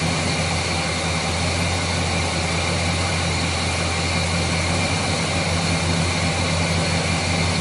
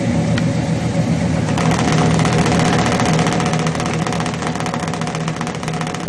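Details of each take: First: Chevrolet 350 V8 with a failed valley-side intake manifold gasket, causing oil consumption, hesitation and rough idle. It has a steady, even idle with a smooth low burble and no miss, running healthy during the diagnostic tests. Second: Chevrolet 350 V8 with long-tube headers, failed intake manifold gasket on valley side: loping, uneven exhaust beat at idle with irregular tailpipe pulses; power balance test showed cylinders four and six weak, misfiring from the gasket leak.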